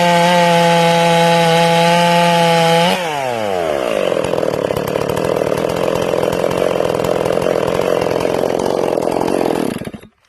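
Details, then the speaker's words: Newly ported, not yet broken-in Stihl MS461 chainsaw; high revs drop as it bites the wood into a rough burbling pull, four-stroking under load from rich carb tune. "I'm going to hit the wood. Okay, you'll hear it 4-stroking. When it hits the wood, I'm going to pull up a little bit."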